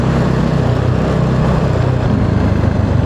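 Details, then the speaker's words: Motorcycle after head gasket and coolant overflow repair, riding at speed: an even engine drone with no knocks or shaking rattles. The vibrations heard and felt before are gone, and it runs smoothly. "So pati yung mga vibration na naririnig ko na nararamdaman nawala. Ayos."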